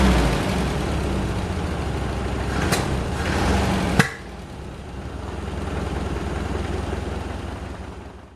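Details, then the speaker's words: Saab 900 Classic with a rebuilt Zenith/Stromberg CD175 carburetor, days after its first start following years of sitting: uneven, lumpy idle with an irregular stumbling beat and a couple of sharp clacks. It runs rough, and the owner earlier suspected the timing. "during the past few days i have been thinking non-stop as to what the issue might be why this car isn't running as it is supposed to first i'll show you again what this engine does"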